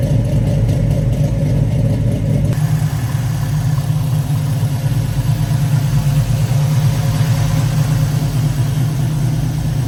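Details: 1966 Chevrolet Chevelle SS with rebuilt 454 cid 7.4 L big-block V8, dual exhaust, 4-speed manual; deep, even burble with slight early pitch lift, healthy V8 idling and revving normally.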